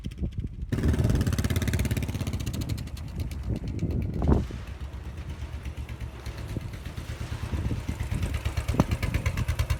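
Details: Royal Enfield Bullet 500 EFI trials bike fitted with a Hitchcocks high-level trials exhaust: deep, loose single-cylinder thump at idle, a quick rev around four seconds that settles back; healthy, even running.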